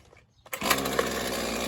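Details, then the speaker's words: Husqvarna 128 LD two-stroke trimmer with a Chinese carburetor, after swapping the Torch plug for an NGK plug: it catches at once and settles into an even, buzzy idle. With the Torch plug it smoked, sputtered and popped; now it runs clean. "Perfect. Okay. As you can see, it runs mint."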